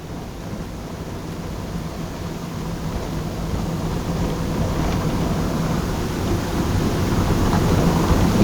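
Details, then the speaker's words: Interior plastic trim rattle on a 2011 Honda Jazz driven over paving: dense cabin road rumble with quick, uneven plastic ticks and rattles growing louder; rear door trim clips had been found brittle. "Kebetulan di jalan paving ya Jadi kita mau check mau check eh retelling itu seperti apa"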